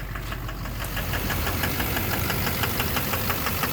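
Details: 2009 Chevrolet Duramax LMM dually diesel with camper, started at 4 °C, fast idle, in drive with brake on, hood open: sharp regular knock over the clatter, loudest at the rear, pointing to one faulty injector.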